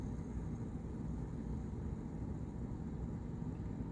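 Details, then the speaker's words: Whirlpool fridge not cooling, clicking near bottom: steady low heavy compressor hum with no pitch change, straining but failing to start, clicks off after one to three minutes; bad overload relay or start capacitor. "generally it'll last about one minute two minutes three minutes tops and then it'll click back off and that's really the indicator that one or these two pieces are bad"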